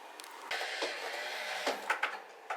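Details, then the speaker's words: Upgraded old Logitech wheel motors on a 2DOF sim rig, case off: short whirring bursts with rough, rattly chatter at each reversal, gear chatter from badly self-cut gears; proper gears shouldn't make this noise. "It does make a little bit more noise because again, I screwed up cutting the gears. proper gears, it shouldn't make that noise."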